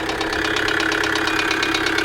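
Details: 2008 Kia Sedona 2.9 CRDi diesel (J3) at idle with a loud, sharp, regular metallic knock; camshaft sensor tested fine (5 V supply, 0–5 V signal, good ground), code P0016, knock cause still unconfirmed.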